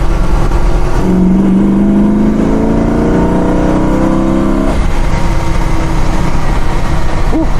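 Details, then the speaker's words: 1964 Pontiac GTO, freshly rebuilt 400-cubic-inch engine with tri-power carbs, accelerating under load on the road: a clean, even rise in V8 pitch with no knocks or misses; normal, strong acceleration. "Yeah, it sounds nice. It's cool. It feels really tight, and you hear what you want to hear, and that's it."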